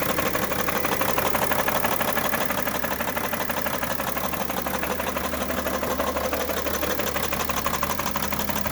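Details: 2011 BMW 335d diesel at idle with a steady, sharp knocking rattle about three times a second and heavy smoke; knock source unknown.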